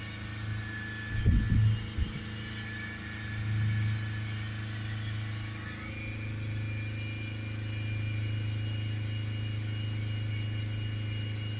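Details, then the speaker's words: Ford Ranger 2.0 BiTurbo diesel with DPF restriction codes P2463/P246C, after DPF cleaning fluid: a few blips, then engine held steady at about 3,000 rpm, burning off the cleaned particulate filter. "so now we just need to run the engine until that pressure starts coming down down we'll hold it up at about 3,000 RPM"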